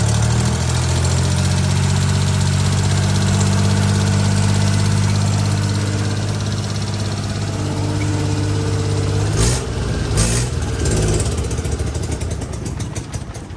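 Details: Daihatsu HiJet mini truck after head gasket, timing belt, water pump, bearings and valve cover gasket replacement (previously hard starting, blow-by into radiator, coolant leak): steady even low idle hum, no misses or knocks, brief clatter; runs smoothly after repair.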